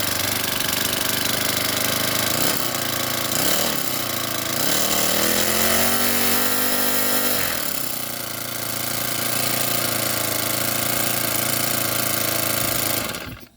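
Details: Honda GX35 four-stroke brushcutter after replacing a broken valve rocker arm runs with a crisp, even buzz, revving up and settling back smoothly; normal running after the repair.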